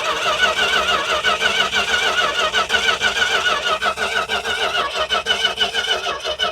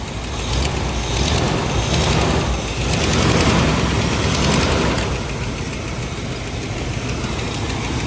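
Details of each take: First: Dodge truck, possibly weak battery, gas in a plastic tank, fuel line off the pump to check pump output: steady starter cranking at about three beats a second with no firing; cranking, not starting, while testing the fuel supply. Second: Dodge truck after water pump work, first start once everything is hooked back up: engine catches and settles into a steady, even idle with no knocks or squeals, checking for leaks.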